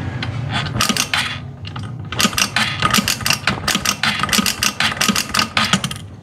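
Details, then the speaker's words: Honda Supra X 125 motorcycle started with the camera held close: sharp, rapid metallic valve-train ticking, about five or six clicks a second. Suspected cam or rocker-arm wear from running low on oil; compression still feels good. "Tapi sebelumnya Kita tes dulu suaranya seperti apa ya suara kletak itu seperti apa sekarang saya starter ya dulu biar teman-teman bisa denger gitu ya"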